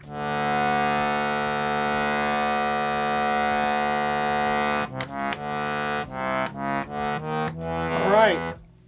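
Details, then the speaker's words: Bhava harmonium after re-seating a reed with its screw to fix buzzing: a clear steady chord then short separate notes, all clean with no buzz; fixed. "that seems fixed"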